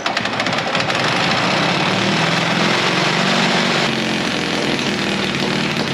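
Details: 1950s Caterpillar D6 cable dozer that sat in a barn for years: the small pony motor barks into a rapid, loud popping chatter and keeps firing steadily. It starts and runs.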